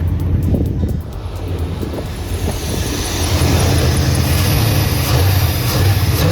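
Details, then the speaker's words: 1989 Chevy Silverado C1500, 305 (5.0L) small block V8, rebuilt after head gasket failure with new cylinder 2 rings, starter just replaced; idles steady and even with no stumble, running better than before; normal idle. "it still ran i mean hell is running better than it was before runs perfect"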